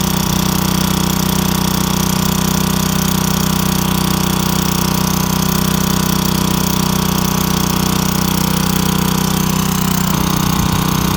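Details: Craftsman wheeled two-stroke weed trimmer, long-sitting with missing spark plug, started with a few squirts: loud, steady high buzz at even speed, no surging or dying; running clean and smooth.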